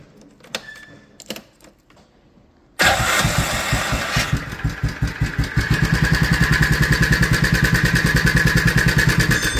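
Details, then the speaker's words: 2004 Can-Am Outlander 400 single-cylinder ATV engine fires up with a loud fast metallic clatter over the exhaust: stretched cam chain slapping, tensioner maxed out and unable to control it. "It's maxed out. Can't control the chain anymore. The chain starts slapping and making that noise."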